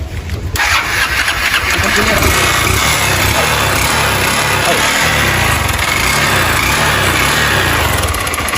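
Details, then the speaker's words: 160 cc motorcycle engine firing and revving with a loud, hollow rattling knock following engine speed; piston slap from a badly scored cylinder. "Então é aqui que tá a batedeira, tá?"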